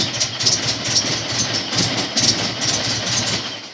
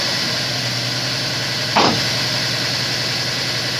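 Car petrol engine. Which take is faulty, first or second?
first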